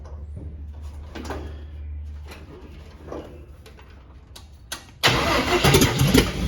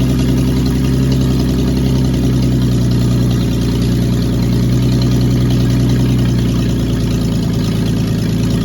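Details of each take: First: Carbureted cab-over van conversion engine, fuel line run to a half-gallon can, battery getting weak. The starter cranks in bursts but the engine never catches; the pump is not delivering fuel, and the owner suspects a clogged filter. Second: Cab-over van conversion engine after the fuel pump and distributor were refitted and the distributor cap put back on (a vacuum leak was noted). Deep, smooth, steady idle with no ticks or misses, oil pressure 40 lb. Normal idle.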